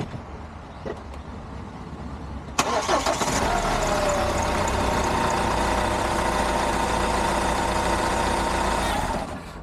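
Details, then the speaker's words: Hyundai iLoad D4CB diesel, reconditioned engine one year on, with injector swap, cleaning and oil changes planned: three starts, catches quickly, revved from 1000 to about 3000 rpm; solid, powerful and even, with no rattles. Sounds healthy. "okay so that was uh three starts riving it from 1,000 up to about 3,000 um it sounds good sounds like a motor should sounds uh powerful sounds uh solid I can't hear anything rattling too much or anything"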